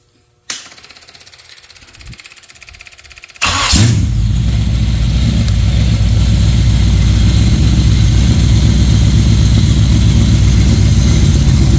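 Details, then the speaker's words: GM Performance crate Chevy 350 small-block V8 (rated about 330) fitted with a marine carburetor for boat use: brief cranking, then a deep, even, healthy idle with no knocks or misfires. "let me fire it up let you guys hear it with the Marine carburetor uh sounds pretty good"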